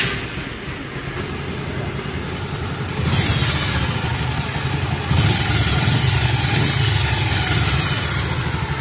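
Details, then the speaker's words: Bajaj Pulsar 150 idling after the cam chain tensioner was refitted, cam chain nearly worn: quiet, even beat with no top-end rattle; the earlier loud timing chain noise is gone. "यो space नै लास्टमा गएर केम्चेललाई player राख्ने छ। जसको कारणले noise आउने छैन।"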